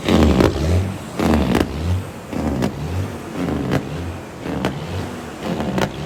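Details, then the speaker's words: Cabover diesel truck (tuned) held with a fast idle stick at wide open throttle: roars then sags about once a second, surging instead of holding full revs; check engine light on, won't stay at full throttle (limp mode/derate), cause unknown. "So this thing won't let us put a fast idle stick on it and stay at wide open throttle. We're trying to get hold of our buddy that tuned it and say, hey, what the heck? This thing won't stay at full throttle."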